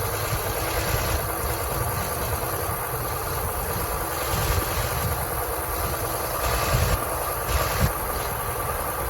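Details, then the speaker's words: 1964 Chevrolet C20 long bed, sat 19 years at a mine, first run on a temporary fuel pump: engine idles rough and lumpy like a tractor with light rattle, yet shows good oil pressure (40 psi); rough idle, cause not pinned down. "it doesn't sound the best sounds like a tractor but it's actually got really good oil pressure 40 pounds oil pressure for 30 pounds"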